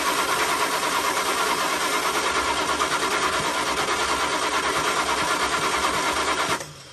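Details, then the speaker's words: 1975 Dodge D200 crew cab, 360 small block, four-speed, long sitting, fuel added to carb bowl: steady starter churn about three pulses a second for six seconds, no firing; crank no start, no spark, ignition switch suspected. "No spark again. So definitely something wrong with that ignition switch."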